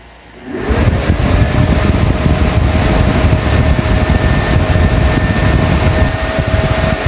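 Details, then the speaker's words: Camper van inverter powering a 60 W charger, after warming up: a sudden rush of air with a steady whine kicks in and holds constant. The inverter's cooling fan switches on loudly and rarely stops, which is to be replaced with a PWM temperature-controlled fan. "Suddenly it started to turn around So loud You should be woken up during this sleep"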